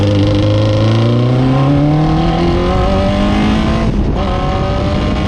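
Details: Fisher Spyder with Arden 8-port alloy head after repair: block and head TIG welded and scraped flat, new MLS gasket replacing failed composite; crisp, clean revving through the gears, smooth steady pulling under load; ran perfectly at Forrestburn Hillclimb.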